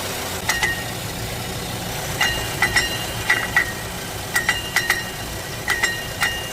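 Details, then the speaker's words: 2016 Chevy Equinox 2.4 L Ecotec at idle with irregular light metallic tinging from a broken-up catalytic converter, confirmed by cutting the pipe. The car also had poor acceleration and a grinding AC clutch that would not release. "That tinging sound, that's a different noise though. I believe the tinging sound is coming from the cat."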